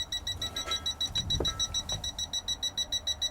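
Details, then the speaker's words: Toptes PT210S combustible gas leak detector at a small emulated gas leak in a caravan, barely audible hiss: rapid, even high-pitched beeping, about three per second, as the detector alarms at the leak. "oh you can he we're beeping already so you can barely hear that it's the smallest leak that I could emulate you can barely hear it"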